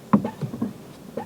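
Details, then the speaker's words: Fiat 500, repaired salvage car, quiet cabin: short scratchy chirps in bursts each time the clutch pedal moves, worse normally, possibly changed after washing; owner hopes it is the slave cylinder, not confirmed. "Squeaky clutch, squeaky clutch even. So that's going to be, hopefully, that's going to be the slave cylinder."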